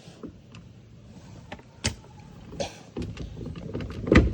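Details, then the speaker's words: VW Polo power window, door panel off, motor tested: short motor whirrs with clicks and knocks but glass doesn't travel; motor works, something is jammed in the window channel/sleeve. "അപ്പോൾ നമ്മൾ switch ചെയ്തപ്പോൾ motor വർക്കാണ്ട്. അപ്പോൾ ഇവിടെ എന്തോ ജാമാണ്. Like വിൻഡോൻ്റെ ഉള്ള സ്ലീവിൻ്റെ ഒക്കെ എന്തോ ജാമുണ്ട്."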